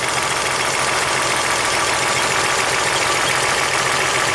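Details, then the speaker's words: 1998 Toyota Camry V6 1MZ-FE, 105,000 miles, flashing check engine light, in drive: slightly uneven stumbling idle under hiss; cylinder 4 misfire, only 60 PSI compression, no injector contribution, burnt valve. Cylinder misfire at idle from a burnt valve. "Put in drive. Oh, there we go again. So definitely suspecting cylinder number 4."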